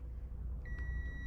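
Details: Jeep XJ 350 V8 swap, fuel pump assembled before reinstallation: a steady high multimeter beep holds over a low hum, showing continuity, so the pump windings are good. The pump then delivers fuel.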